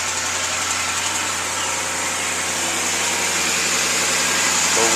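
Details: 2006 Ford F150 after replacing pulleys and the belt: steady, even idle with no whine or squeal over it; belt drive now quiet, earlier whine gone.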